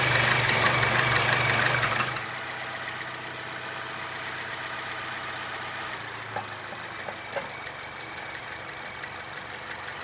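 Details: Chevy Cruze/Sonic 1.4L after replacing leaking PCV valve in the valve cover (codes P0106, P0171, rough running): start-up rush drops after two seconds to a steady even idle with no hiss or stumble; healthy idle after repair.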